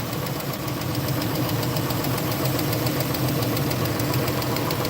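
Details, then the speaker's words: Warm 2014 Chrysler Town & Country, 3.6 V6, under 100,000 miles, idling with a sharp, fast, steady tick from the back of the engine; misfire stays on cylinder 3 after swapping plugs and coils, compression within spec; lifter or cam suspected. "And she's warm, so this isn't a cold start tick."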